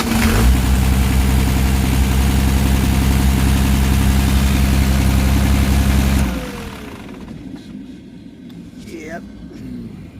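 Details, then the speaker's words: 12-valve Cummins diesel in a '75 International after new injectors: clatters at a steady high idle far above normal; throttle at the pump changes nothing, then shut off. Injection pump probably stuck around three-quarters; pump to be replaced. "i'm going to say we still have a pump problem so yeah we're going to shut it off yeah looks like the uh injector wasn't the only problem we are gonna have to change this guy"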